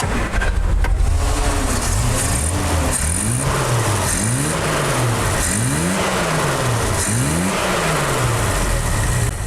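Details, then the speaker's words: 1973 Triumph GT6 that had run rough on only three of six cylinders because the front carburetor piston was fitted 180 degrees out; after refitting it correctly, quick throttle blips rise and fall smoothly without hesitation. "Significant difference from when it was running with the piston in 180 degrees out."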